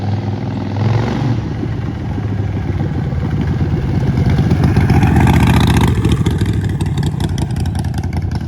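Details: Neglected 2008 Harley-Davidson Sportster, primary fluid not changed: lumpy V-twin beat picking up cleanly, pulling hard on throttle and settling back without misses; runs really good with some power.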